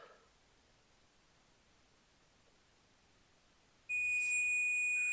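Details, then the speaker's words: Multimeter on rusty ignition switch from 1950 Chevrolet truck: quiet, then steady high continuous beep holds, showing continuity with key on, terminals connected. "that was aggressive but it worked continuity check beep"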